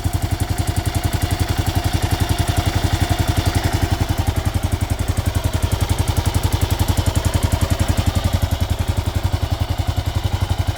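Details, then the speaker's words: Kawasaki KLR650 single-cylinder, warmed up, idling with an even thump and an intermittent light, fast top-end tick; previously run without oil, new head fitted with same noise, owner blames the KACR system; unconfirmed. "I'm going to warm it up a little bit and um I'm going to get back to you okay I already warm it up um you don't hear it right now but it was um it will come in a little bit like right now it comes and go it comes and go there you"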